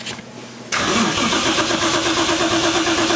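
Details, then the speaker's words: 1JZ VVTi swapped 240SX: starter grinds over sluggishly at about three beats a second without catching as battery voltage sags to 10.2 V; slow crank from low battery, ground later retightened on fresh metal. "it's going down to ten point two volts didn't you say it had to be ten and a half mark"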